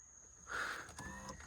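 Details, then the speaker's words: Flood-damaged 2007 Cadillac CTS, power seat that previously acted up: brief soft electric motor whir, smooth with no clicking or stalling; seat now works normally. "Now let's see if this seat starts acting weird again. No?"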